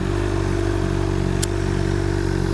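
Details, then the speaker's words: 2007 Honda CBR600RR inline-four with aftermarket exhaust, revved: smooth, steady drone with an even deep note, no rattles or misses; nice sounding rather than just loud, a normal exhaust note. "like that this bike doesn't just do loud. It makes a really pretty nice noise."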